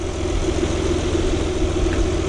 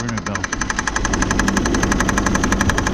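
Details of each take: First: 2000 Saturn L300 3.0 V6 after timing belt job, briefly run with accessory belt removed: smooth even idle with no ticking, squeal or rattle, so noise is from an accessory, suspected power steering pulley or belt slip. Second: 2000 Saturn L300 with a 3.0 L V6, after a timing belt job: sharp, regular knocking of about four per second over a steady idle, coming from the third pulley. The power steering pump pulley is knocking.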